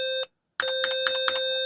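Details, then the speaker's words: BBC Master 128 after the configure loud setting and a Break: a short clean beep, then a louder steady tone with a few clicks; the startup beep works normally at loud volume. "I'm going to type in configure loud if we hit break oh there it is louder now"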